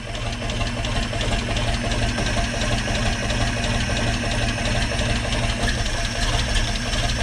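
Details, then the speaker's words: 1942 Blitz truck with rebuilt carburetor, just started and warming up: loud low steady idle with even beat, no misses or surging; normal idle, idling much better. "So she's idling a lot better now."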